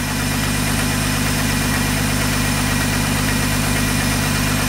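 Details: 1985 Ford F-150, 300 inline-six, 240,000 miles, after cam gear replacement: even, steady idle with smooth low rumble, no knocks or ticks; well broken in and running healthy, probably due a cap and rotor.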